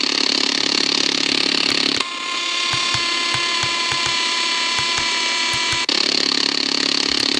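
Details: Prunus J-168 portable radio on shortwave: hissy hash, steady whistles and regular ticking buzz swamp weak WRMI Florida; RFI generated by the radio's own circuitry, not the house.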